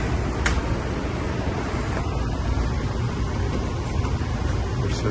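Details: 2019 Goodman AC with refrigerant leaks, recharged before and lasting only a month: the indoor air handler blower starts on cool after the contactor is bumped. Steady, even low airflow whoosh with no knock, rattle or squeal; blower runs normally.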